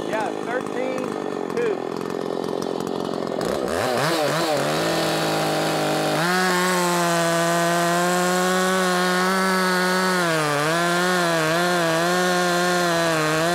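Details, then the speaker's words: Makita 5600 (Dolmar-built) chainsaw, tuned slightly rich (13,200 rpm free): steady high two-stroke scream holding pitch through the cut, no bogging; in-cut revs up to 11,000s, mostly about 10,300-10,600. "it was kind of all over the place um I saw it as high as into the 11 thousands but mostly it stayed around 10-3"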